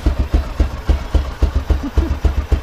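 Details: 2000 Honda XR650L big single, first start after TM40-6 carburetor installed, chilly about 40-45°F: loping idle with slow uneven thumps about four a second; idle needs adjusting.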